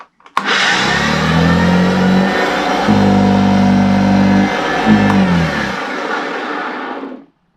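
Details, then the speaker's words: Vacuum cleaner (Hoover) that has grown noisier lately, owner wonders if something got into the motor: loud rough motor roar with an uneven droning hum wavering in pitch, worse than when first received; cause not confirmed. "it doesn't sound very good it didn't sound like that when I first got given it"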